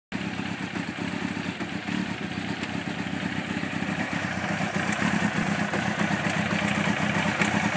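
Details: 1992 Honda CBR900 motorcycle at idle: steady rough ticking, about four per second, over the engine; owner suspects timing chain or cam chain tensioner, or something else, cause unconfirmed.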